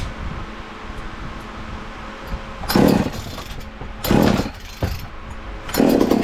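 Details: Ported 2375 chainsaw, still on pump gas before the alcohol goes in: burbling idle with three clean throttle blips, no bogging. Runs well and a bit rich ("fat and happy").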